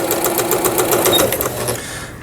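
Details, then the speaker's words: Juki HZL-K65 horizontal-hook sewing machine after repair of its needle bar and hook shaft, quilting stitch test: quick, even ticking at about six to seven stitches a second, then a clean stop. Runs smoothly. "누빔 바느질 또 해보는 거고,"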